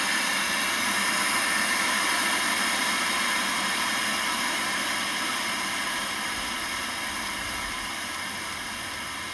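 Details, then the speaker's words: Old CRT TV right after its broken speaker was replaced and the set switched on: a steady, even static hiss comes through cleanly, with no crackle, buzz or dropouts. The new speaker's output is normal. "You hit the button all the way. Look at that. sounds wonderful."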